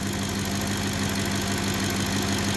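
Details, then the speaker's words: 2010 Ford F-150 5.4 V8, almost 180,000 miles, warming up with wrench light and oil change soon light on: steady even idle, constant low drone, no tapping, stumbling or misfire; normal idle, not in limp mode. "that doesn't sound like it's in limp mode to me that thing do that sound pretty sweet 180,000 miles almost"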